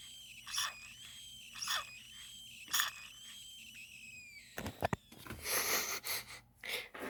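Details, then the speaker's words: Old Homelite chainsaw with a carb-related problem: high, hoarse wheeze rising and fading about once a second over a faint low hum, then rougher hissing; odd wheeze, cause unknown. "It's a carb related problem, and I just found this funny noise."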